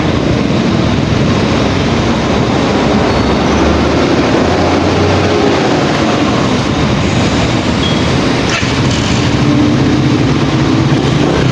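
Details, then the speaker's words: Pantra-type motorcycle with primary-type stator, previously very hard starting, now starts on one click after converting to a Lihua 4-pin CDI; steady, even engine drone with no knocks, misses or stumbles. Normal running. "Ah nakita niyo naman mga boss napakadali na napakadali na start yung motor na kinabitan natin ng 4 pin cdi"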